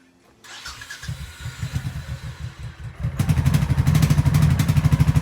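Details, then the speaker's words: Honda Shadow Sabre 1100 V-twin after its unplugged fuel pump was reconnected: cranks, catches, then runs with lumpy, uneven firing that surges when revved; running rough, cause unknown. "okay give her a shot now this thing's not running right but it's running"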